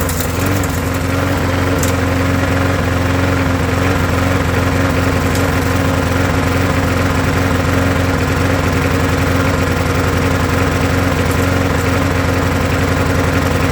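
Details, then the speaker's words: Old Briggs & Stratton mower started first pull after sitting three years: loud single-cylinder idle with uneven, hunting beat, idle set too low; rough idle, cause not confirmed. "now obviously it's not running the greatest I'm going to adjust the idle a little bit"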